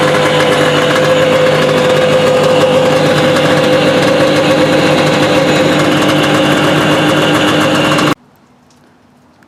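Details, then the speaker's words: 1983 Yamaha Excel III 340 two-stroke snowmobile, first test run after service: steady drone with rapid, regular clacking about three per second from track and suspension area; drive lugs suspected catching on something, not confirmed. "after a quick test run there's something making a heck of a racket down the track and suspension area it sounds like the drive lugs are catching on something and clacking we'll have to investigate"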